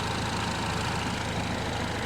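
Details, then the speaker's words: Peugeot 308 GTi (Prince engine) after replacing the rubberized water pump pulley, which was suspected of causing a fast, jittery noise. On cold start it is loud at first, then a smooth, even idle with no rattle; the engaged water pump is now quiet. "Obviously we had a cold start there, super loud, but all looks well. It's actually engaged, it's super quiet."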